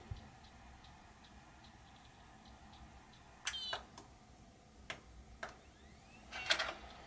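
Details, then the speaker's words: Dell XPS M1530 laptop that will not boot, clip during boot attempt: faint irregular hard drive ticks, a few per second, like repeated failed seeking; drive suspected damaged or with corrupted/missing files, not confirmed. "I don't know if you can hear that the hard drive is making a weird noise like it's searching for something so it's either damaged or it's missing files it got corrupted or something like that"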